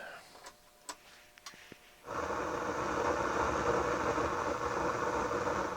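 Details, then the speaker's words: Sony STR-230 receiver switched to FM with no station tuned: a steady loud hiss and rumble come through the speakers; the same noise backfeeds on tape and phono; owner suspects a breaking-down transistor or a DC-leaking capacitor. "Now that sounds to me like a bad transistor, to tell you the truth. It could be a faulty capacitor that's leaking DC, or it could be a transistor that's breaking down, or something to that effect, because that noise and we have no station."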